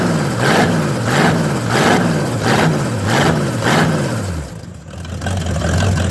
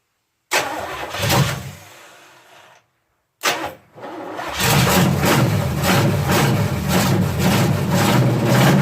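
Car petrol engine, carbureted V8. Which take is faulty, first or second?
second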